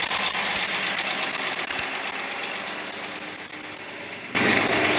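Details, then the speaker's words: Big Caterpillar diesel in the engine room of MV Gallivant, idling while primary Racor fuel filters are switched over to watch the new vacuum sensor gauge: loud, steady diesel clatter holding an even idle, no misses or surging; normal idle. "Look at the gauge. It's going to get noisy because it's a big Caterpillar engine."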